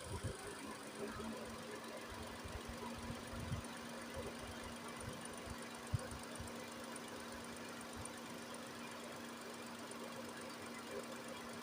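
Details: Nissan Almera after radiator cooling fan motor replacement and coolant top-up (no bleeding needed, system not fully drained): steady even idle hum, constant low drone, no knock or rattle; running normally.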